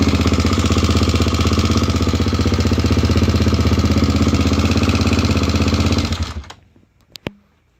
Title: klx250 стук двигателя изза износа цепи грм